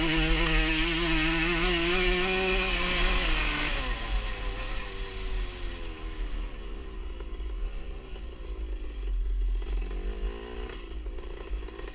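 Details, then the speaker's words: 1977 Honda CR125 Elsinore two-stroke, newly fitted HPI ignition (old one broke up spark at top end): revs high, then drops back with an occasionally stumbling beat; intermittent stutter, owner suspects a big exhaust leak. "you can hear it kind of stuttering a bit um some of the time but i think that's more down to the uh big little exhaust leak i've got"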